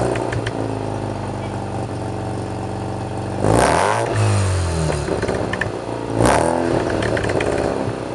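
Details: 1987 Mazda RX-7 rotary with Pacesetter header, custom test pipe, Borla catback, after fixing all exhaust leaks: smooth burbling idle with two clean throttle blips, no ticking or puffing; much quieter inside the cabin.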